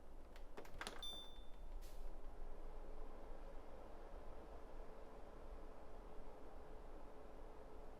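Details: Winix C535 air purifier fan motor after replacing worn motor bearings with NSK 608ZZ bearings (it previously whined and ground): a couple of handling clicks, then a soft, steady whir with no grinding or whine; normal, quiet fan running.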